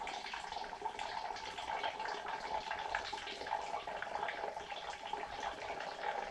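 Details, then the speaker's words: Manual/pneumatic 6.5-liter vacuum oil extractor drawing oil from a slightly warm car: steady wet gurgling and slurping with no pumping strokes; normal extraction flow under vacuum. "it sounds like it's just pumping away you don't currently don't have to pump the entire time which is nice"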